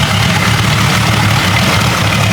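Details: Jeep 5.0 stroker build with longer pushrods, not yet in the Cherokee, warm idle before shutting down to cool: smooth, even, low rumble with no ticking or tapping over the exhaust. Engine sounds healthy.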